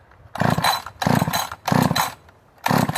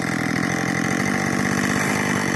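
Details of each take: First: Husqvarna 562 chainsaw built from three carcasses, dressed cylinder and piston, ported lower transfers and exhaust, untouched timing, autotune not yet tuned: short revving bursts then ragged low idle nearly stalling — rough running, reluctant to idle. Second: Rebuilt Husqvarna 562 chainsaw built from three saws, intake and transfers ported, AutoTune: fast, even two-stroke burble at idle, steady with no hunting or stalling; idles cleanly.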